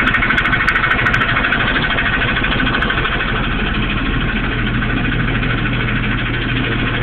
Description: got a noice like coming from the trans somewhere tht area dont noe wat it is